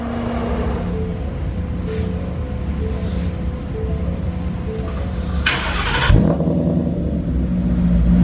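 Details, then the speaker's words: Mustang with a Borla exhaust, after crooked tips were straightened and hangers and a resonator refitted: a smooth, deep burble at a steady idle, without the earlier rattly sound. The exhaust is now clean and healthy. "that's so much better it really is it doesn't have that Radley kind of flattery"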